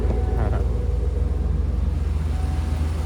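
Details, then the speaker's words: 1995 Hummer H1 civilian wagon with a 350 gasoline V8, running barn find, idling in an enclosed building with a deep even rumble, smooth, no fuel or coolant leaks. "I said you can hear that it's smooth there's no fuel leaks there's no coolant leaks"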